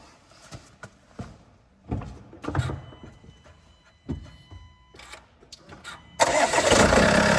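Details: Range Rover Evoque after auxiliary belt tensioner/pulley replacement: engine cranks, catches and settles into a smooth steady idle with no belt rattle, sounding better than before the repair.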